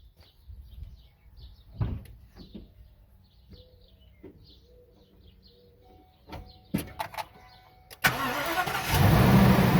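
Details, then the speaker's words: Ford E350 V10 motorhome starting after serpentine belt and tensioner replacement for a recurring belt squeal: cranks and catches at once into a strong, steady run, with the belt tracking correctly. Normal start. "after i start it up i always like to look and see if everything's running good everything everything is tracking exactly as it should"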